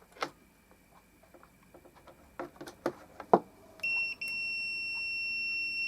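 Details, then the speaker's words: Muting (de-thump) relay circuit for guitar preamp amplifier, 470 ohm resistor, powered up: handling clicks, then multimeter continuity beep across contacts holds after about two seconds; relay contacts closing normally. "oh while the LED lit up I did hear the relay click but I don't know if it's actually fully engaged so sounds like it though"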